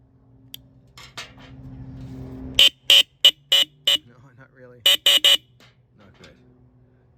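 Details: 2021 Harley-Davidson Heritage stock horn after tone screw adjustment attempts: seven short honks with thin, high, buzzy tone lacking low body; horn still weak.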